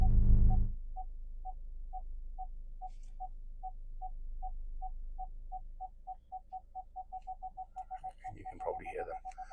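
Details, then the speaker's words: 2011 Ford C-Max Titanium 1.6 TDCi diesel, 6-speed manual, 86,116 miles, warm after a drive: parking sensor beeps quicken to near-continuous while reversing close to another car; sensors working normally, with a visual display as well. "And I'm just going to reverse it next to my Volkswagen Tara there. And then, you know, you're going to hear the parking sensors kick in as well."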